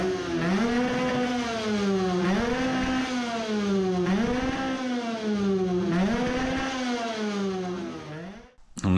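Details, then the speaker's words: 50cc two-stroke racing moped with a self-cast cylinder on an Italian race carburetor, now with a 105 main jet: revved hard five times, screaming high but still sputtering and breaking up near the top. The jet is judged still too big. "it sounded promising. it was still sputtering. it is still too big but now it was screaming"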